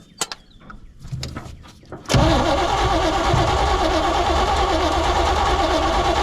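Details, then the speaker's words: 1972 Chevy C20 pickup stored over 20 years, with gas squirted down the carburetor: steady, even cranking at about three turns a second that never fires. The fuel pump may not be delivering yet; the owner wonders about low compression, unconfirmed. "ah well that's disappointing i would have assumed that it would i mean if it's got spark and we got fuel and we obviously got air it should pop off"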